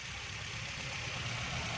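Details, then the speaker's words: 2008 Toyota Corolla idling after repair of a faulty sensor wire that had caused no-start; quiet, even idle with steady low hum, no stumbling or misfire; normal idle. "देखें दोस्तों, ये गाड़ी बिल्कुल सही हो गई है। इसकी वायर का सेंसर की तार का मसला था, तो हमने इसको रिपेयरिंग किया है।"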